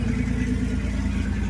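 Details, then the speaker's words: Datsun/Nissan 280ZX after rod-knock fix with new oil pressure switch, believed the root cause: smooth, even low idle rumble, idle set slightly high, no tapping or knocking; oil pressure good, quietest ever. "As you can hear, Dodson's running knockless. Seems to be running really good."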